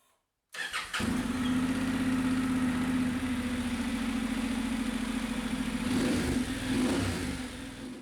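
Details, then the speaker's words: 2016 Honda NC750X manual, 90,000 km, started after oil and filter change to circulate new oil; brief crank then smooth, even twin idle, no knocks or rattles; normal start and idle. "Last step is just to start it up and circulate the new oil around."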